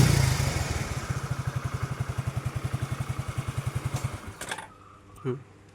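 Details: Suzuki Let's single-cylinder scooter with an Access CDI rewired in place of the Let's CDI to fix a starting problem: fires on the button and settles into an even, steady low putter at about nine beats a second; normal start and idle.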